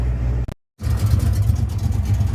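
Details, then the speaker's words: Ford Mustang with new Pro chamber mufflers and custom flow tubes, idling around 900 rpm: deep loud lumpy idle with a light tick from inside the chamber muffler; no exhaust leaks, normal. "No exhaust leaks underneath. That kind of ticking sound you hear is just uh that's the inside of the pro chamber. It's just kind of its thing."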